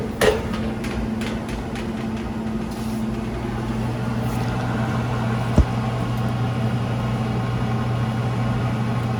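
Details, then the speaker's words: Commercial prep table or reach-in refrigeration unit, gauges on and reading well on charge: a steady low drone with a faint whirring overtone from one noisy evaporator fan motor that needs replacing. "one fan in here we need to replace can you hear all right we that got our gauge on there we know we got one noisy bat fan motor in here"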